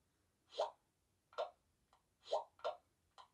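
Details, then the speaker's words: Sony Xperia 10 Plus bottom speaker playing audio in third-party apps, at any volume; irregular short pops and crackles every half second or so — speaker popping and crackling. "so there's a crackling something coming from this speaker down here is making that sound on third party apps"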